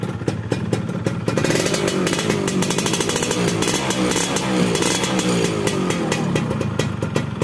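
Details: Carburetted two-stroke motorcycle (Yamaha F1ZR) with its air screw set standard/"wet" rather than lean: crisp, even idle with steady rapid popping and no hunting or misses. Normal idle with the mixture set right, since too lean makes it hard to start in the morning.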